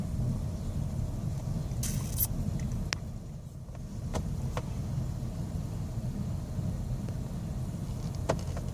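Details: 2001 Mazda Tribute rough idle: low rumble sags then climbs back, idle hunting/surging; IAC, EGR, fuel filter, air filter and PCV valve already replaced, cause still unknown.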